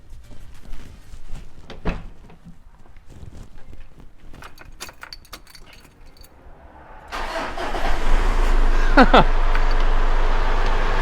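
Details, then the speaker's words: 3.0L four-cylinder turbo diesel with deliberately flattened battery, started using a 700A 15,000mAh portable jump pack: after handling noise it cranks briefly, catches at once and settles into a steady, even idle; normal start and idle. "way how about that well there you go guys it works and it works pretty well I was pretty surprised with how easily that was able to start the car"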